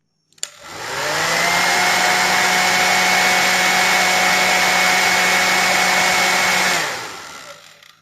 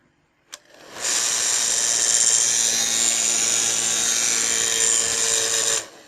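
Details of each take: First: Hair blow dryer after the loose fan blade was glued back onto its hub: motor spins up to a clean steady whine with even airflow and no rattle or buzz, winds down smoothly; the strange noise is gone. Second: Blow dryer that heats normally, switched on: hard hissing rush with a rough fluttering scrape throughout, the strange noise it makes in use; a cracked fan blade is catching the housing.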